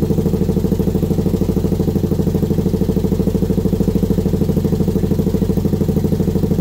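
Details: Kawasaki Brute Force V-twin first start after rebuild; steady even idle with a regular low thump, no knocks or misses: running normally.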